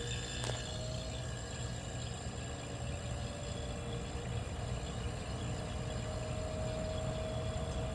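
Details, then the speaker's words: 1973 Westinghouse 25-pint dehumidifier, R12 low-pressure compressor, first run after purchase: low even hum with soft airy fan rush, no knocks or rattles; quiet normal running. "I wonder if that's the full speed that the fan motor is running at because if it is the this thing's quiet to kind of makes sense since uh this particular a is uh designed to run on the low operating pressure R12 so it's a much quieter running compressor"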